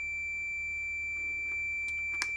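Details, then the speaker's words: Fluke 10 multimeter continuity beep-test, automotive fuse testing via decade box: a continuous high beep held steady at 90 ohms. It still signals continuity; the beep cuts out only at about 100 ohms. "80 ohms, still beeping. 90 ohms, still beeping."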